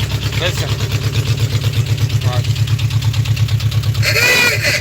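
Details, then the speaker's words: Trike ridden from Louisiana to Tennessee before the knocking started, at idle: an uneven low thumping idle of about three pulses a second with a dull knock on each beat; the source isn't pinned down yet. "that's what we took from Louisiana and drove it all the way up here to Tennessee before you hear that knocking until it started knocking"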